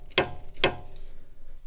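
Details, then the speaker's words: Volvo V70 (early), car on lift: two sharp clicks as the front wheel/drive shaft is jiggled by hand; other side sounds the same and no noise when driving; owner unsure if drive shaft bolt needs tightening, already very tight. "And then the drive shaft, when I just jiggle it, I don't know if that also should sound like that, because I checked the other side and it sounds just the same, but it doesn't make that noise when driving."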